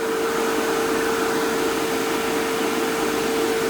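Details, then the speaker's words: Fieldpiece MR45 recovery machine after oil was added, previously noisy from wet refrigerant; smooth, steady constant mid-pitched hum with no knocking or rattle, said to sound better than when new. "Purring like a kitten. That actually sounds better than when it was brand new."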